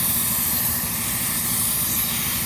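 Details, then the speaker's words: 6-car trailer air brake line, brake lines hooked up: steady, even hiss with no pulsing, felt coming from behind a weld; owner suspects welding the plate burned the airline. Possibly linked to a cab warning, or a bad trailer ABS module. "know exactly where it comes from because it's leaking from behind this weld. I think when they welded this plate onto here, they might have burned the airline."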